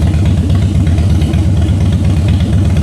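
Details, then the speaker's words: Salvage-auction wrecked 2013 Harley-Davidson Heritage Softail idling before a short test ride to try the transmission; loose, lumpy potato-potato beat at steady low idle, no knocks or ticks. Sounds real good, normal idle. "It sounds good, guys. I ain't going to lie, she actually sounds real good."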